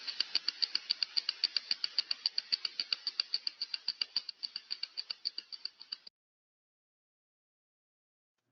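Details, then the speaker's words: Slow-turning bearing with outer race defect, heard by ultrasound with alarm levels exceeded: sharp, evenly spaced impacting ticks about three or four a second; greasing followed. "of course we have this kind of impacting also we'll listen to very briefly"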